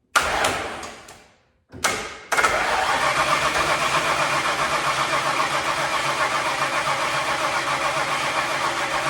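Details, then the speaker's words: Ford Bronco sitting over 11 years, fuel in carburetor, key on, pumping gas: starter churns steadily about three and a half beats a second without catching; cranks but won't start, owner suspects out of gas. "maybe we're not getting smart hmm gas more gas in there and gotta give it a try ready you need come on all right now I guess nothing that might just be out of gas"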